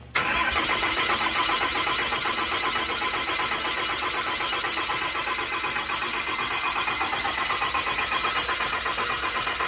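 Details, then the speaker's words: 6.4L Cummins diesel just installed in an 07 quad cab, cranking with injectors unplugged to build oil pressure, so it won't start: steady, even cranking churn, no knocks, clatter or grinding; normal cranking. "Now we are going to crank it to build oil pressure. The injectors, again, are not hooked up, so this thing's not going to start. We're listening for any crazy noises."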